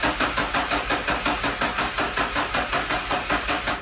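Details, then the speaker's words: Ford F-150 300 engine after junkyard head swap, not rebuilt or machined: even cranking beats about three a second, each compression stroke loading the starter equally; normal cranking, compression appears good. "she's got good compression at least from what I can tell I'll uh spin it over really"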